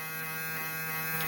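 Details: Cooler synchronous motor (the cooler's air-direction motor) converted into a 12 V-to-220 V AC generator, lighting a small LED load. A steady, even buzzy hum with no rattles or surging: normal running under light load.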